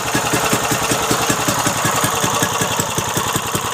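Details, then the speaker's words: Briggs & Stratton 3.5 HP small engine, little used, cleaned with carburetor fixed, started with ether, some smoke at startup: quick even single-cylinder putter, steady firing, no misses or knocks; idling healthy. "all Briggs & Stratton light it's Mikey she runs awesome beautiful"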